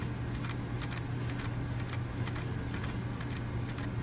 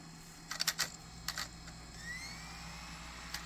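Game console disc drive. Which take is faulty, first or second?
first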